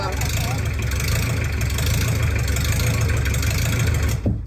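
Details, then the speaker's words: 40 hp Nanni diesel in wooden sailboat, first run after install with remote oil and fuel filters: steady even low rumble, no knocks or misses, 60 psi oil pressure afterwards; normal running. "That sounded great. Yes, it did. Woohoo! Fred! Oh, yeah. Yes, it did. Sounded very good."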